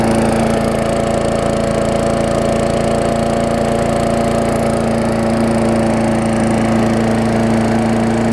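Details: Old Murray single-cylinder push mower after revival (new front wheels, ground wire reconnected, carb diaphragm, air filter, new muffler, sharpened blade, fresh gas), just washed, started on second pull: steady, even clean buzz, no misses or surging; normal running.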